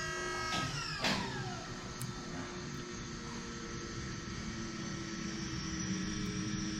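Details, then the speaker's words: LS-swapped Nissan 240 drift car at key-on after a bad ground was fixed, before startup tune: steady loud high-pitched whine over a low hum; fuel pump unusually loud. "Sounds like a freaking spaceship. Yeah."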